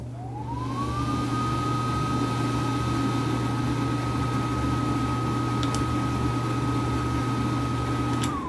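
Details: Bathroom exhaust fan running after its buzzing timer switch was replaced. A low, steady whirring hum climbs, holds even, then falls away at switch-off. The fan runs smoothly and quietly.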